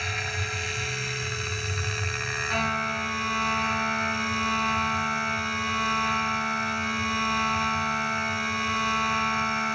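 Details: New Tormach PCNC 1100 CNC mill roughing pockets in a clamped 3/4 in aluminium plate for a keyboard housing: a steady high cutting tone over the spindle hum, no chatter or squeal. A clean, successful roughing pass.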